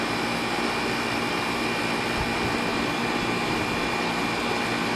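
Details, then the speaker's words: Air conditioner condenser after replacing a bulged capacitor and the contactor (before, the fan and compressor would not start): steady fan air over a smooth compressor hum with no buzzing or clatter; normal running. "all right folks and now you see it running so sure enough it was a bad"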